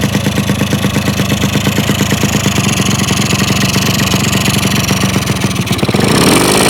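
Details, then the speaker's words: Yamaha RX100 two-stroke motorcycle after frame and stance rework and engine reinstallation, before paint: steady, even idle putter with a clean rev near the end, no misses or knocks; healthy. "ตอนนี้เครื่องเครื่องก็ติดนิ่งเลยนะครับเนี่ยครับ"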